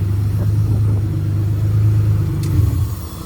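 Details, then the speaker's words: Honda J35 V6 sandrail after fixing fuel delivery, three bad injectors and very old fuel noted: deep, steady low rumble with an even beat and no misfire stumble, running on all six. "Oh, much better. Sounds like she's running on all six."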